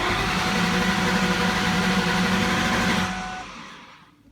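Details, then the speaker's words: 2003–2004 Ford Mustang SVT Cobra after oil and filter change, clutch in and gas floored to block starting while priming oil into the empty filter; steady whirring crank with faint slow pulse, no firing. "so we're gonna go ahead and push in the clutch push in the gas all the way and just crank it and it won't"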